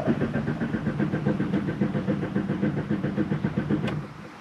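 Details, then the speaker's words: Car with pancake syrup poured into the fuel tank, after it ran badly and died: the starter cranks at a steady pulse of about four beats a second but the engine never catches; codes show an evap fault and misfire on startup. "oh no it's cranking but now the engine's not starting uhoh"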